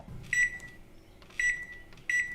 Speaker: my microwave and it does that when it's finished